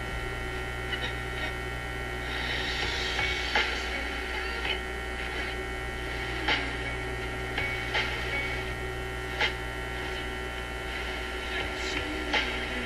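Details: Zenith Y825 vacuum tube AM/FM radio during the hum-and-buzz hunt, as tube shield covers are fitted: a steady low mains hum with faint periodic clicks. A cover changes the noise; the owner suspects a shield isn't grounding, cause unconfirmed.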